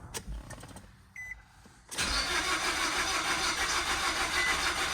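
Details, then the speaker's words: 2011 Nissan Rogue with badly failed head gasket, coolant system refilled mostly with water, engine likely needing replacement: steady cranking churn for seconds without catching; extended crank, no start after about 30 minutes of trying. "after about 30 minutes of trying to start this car I just I could n"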